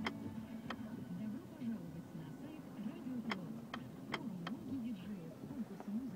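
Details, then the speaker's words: Mazda 3 automatic transmission in Park with brake pressed: quiet idle with sharp isolated irregular clicks; not present in Drive; suspected transmission park lock/detent knocking, not confirmed. "в режиме паркинг нажимаем на тормоз наблюдаем следующую картину раздаются щелчки"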